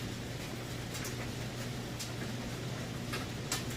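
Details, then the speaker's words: About 3-year-old Maytag electric dryer, heating confirmed hot at the element tube: even low tumbling hum with soft light ticks from the load. No weird noises, thumping or off-balance banging; normal dryer operation. "No weird noises, and it's not off balance or no loud thumping or anything like that."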